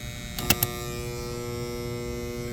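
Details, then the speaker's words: 2012 Carrier heat pump condenser, about three-ton, panel off, disconnect back in: steady buzzy electrical hum with no compressor or fan starting; technician suspects a bad capacitor (45/5); condenser hum without starting. "got the panel off I mean that thing is just buzzing if I put the disconnect back in"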